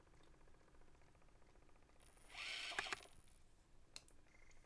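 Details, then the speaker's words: Panasonic SJ-MJ78 MiniDisc portable, mic right at the player, fully charged battery: faint ticking, then about a second of whirring and rattling as it tries to spin up and seek, then quits; battery meter dips; owner suspects laser sled, not motor; disc won't play. "so that sound is the motor trying to spin up so watch what happens to the battery indicator as the motor tries to spin up"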